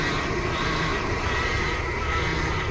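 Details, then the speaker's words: Vintage RV with a Chevy Hydroboost system, after a fabricated power steering hard line replaced one with a pinhole leak. A steady strained whine as the wheel turns comes from air in the system, which needs bleeding. "that's because there's air in the system okay i don't want to do it too far gonna freak it out"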